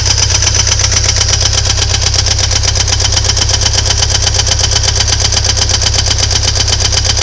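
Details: Ford Thunderbird Turbo Coupe 2.3L at idle: sharp, very regular knock about twice a second; owner suspects valve knock, unconfirmed.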